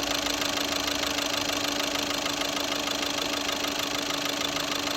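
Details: Skoda Rapid diesel with newly replaced injectors, idling: a steady idle with an even, rapid knock of about two a second, from uncalibrated injectors that need minimum-quantity adaptation.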